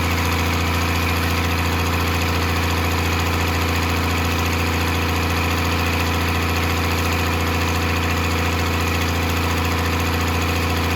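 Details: 12-valve Cummins diesel on an engine stand out of the truck, first run after a rebuild for glazed cylinders (cause unknown; deglazed). Steady, even clatter at constant idle with a firm low drone and no knocks; runs healthy.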